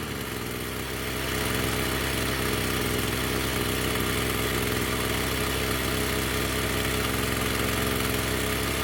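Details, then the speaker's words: Echo SRM-210 two-stroke string trimmer after new purge bulb, fuel lines and straightened idle screw set higher: steady even idle with no surging or dying, running well. "I would say that's running pretty good."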